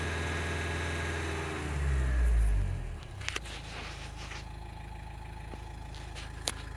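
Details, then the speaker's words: 2013 Nissan Qashqai 1.5 dCi diesel after DPF cleaner: revs rise smoothly and fall back to steady idle, no stumbling; back-pressure now good, previously off the scale. "so it's still bouncing around a bit but let's increase the revs obviously last time two and a half Grand it was off the scale and now that's nice"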